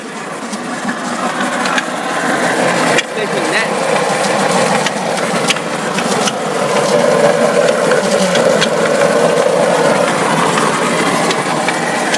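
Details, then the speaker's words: 2002 Honda Insight hybrid CVT, parked with e-brake on: shifting into drive brings a harsh scraping drone and uneven shudder, rpm dipping and recovering, engine nearly stalling; transmission fault, cause unknown. "it definitely should not be doing this it shouldn't be making that noise at all it shouldn't be vibrating like it is"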